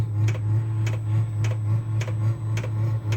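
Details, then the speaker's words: Vevor 12 V diesel heater just lit in a cold garage: steady low hum, likened to a V1 buzz bomb, with a sharp fuel pump tick roughly every half second; running normally and warming. "Sounds like a V1 buzz bomb. Oh, she's taking off, folks."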